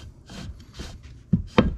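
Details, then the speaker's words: 2005 Kawasaki Brute Force 650 front differential teardown: right axle bearing turned by hand gives dry gritty rasps, rough and catching, not moving freely; worn axle bearing. "sounds a little gritty and it's not moving horribly freely but uh listen to that that is horrible and that's the one that I figured was going to give me issues well that sounds pretty bad"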